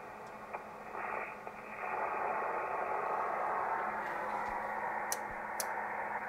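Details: ICOM IC-751A ham transceiver after the PLL adjustment, with an RF generator signal injected near the antenna input at 11 MHz. Harsh hiss across the band with only a faint smeared tone instead of a clean carrier; the audio is still distorted, so the fault is not the PLL adjustment.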